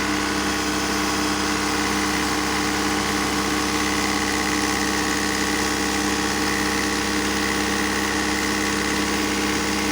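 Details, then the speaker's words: Alfa Romeo 156 Twin Spark with an intermediate idle-adjustment fault (owner reported 3,000–4,000 rpm idle): idle started at 1,200 rpm, then jumped to 2,000 rpm and holds there, a steady fast hum with no dip; high idle. "it started at 1,200 and then jump to 2,000 and it is at 2,000 right now"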